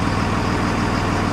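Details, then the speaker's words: 2001 Freightliner MT45 ex-FedEx step van, 24-valve Cummins turbo diesel with Allison, listed non-running, now running with good oil pressure: deep, steady but very loud clattery idle; it stalls when put in gear, reason unknown. "Boy, she's loud. She's real loud."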